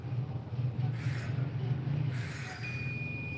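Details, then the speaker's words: HVS-2414SCC board, multimeter in continuity mode across GND pin and 5 V output pin (microcontroller supply): steady high-pitched beep over low hum, confirming short circuit; microcontroller to be removed next. "We have short circuit, as you can see and as you can hearing the beep sound."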